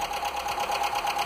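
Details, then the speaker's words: Piston slap on a Skoda (possibly Fabia) 1.4 16V petrol on first start after fitting used pistons, with some oil poured onto the pistons: light quick tapping about eight per second over the idle; may quiet down as it runs in. "Trochę oleju było wlane na tłoki. Troszkę stuka jeszcze. Ale tak trochę klepie."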